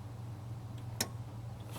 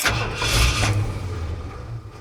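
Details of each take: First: Truck with a self-resetting ignition kill switch, key on and engine off, camera close: a quiet hum, then one crisp click and another about a second later as the relay pulls in normally. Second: Ford truck with self-resetting ignition kill switch installed and activated: engine catches and runs a second or two, then dies once the key is released, twice over, nothing mechanically wrong; kill switch cutting ignition.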